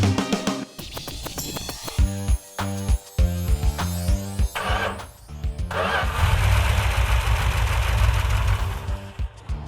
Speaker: that's the way it's supposed to run let me have just a hair more timing up ahead